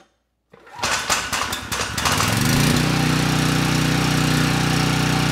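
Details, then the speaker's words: Briggs & Stratton Storm Responder 5500 W generator (model 030430A-00), previously seized engine, tested indoors with fuel poured on the carburetor: cranks a few times, catches and settles into a steady, even run with no misfires or knocks; starts right up and makes power. "can't really complain about that it started right up the engine sounds good the carburetor is running it well and of course we have power"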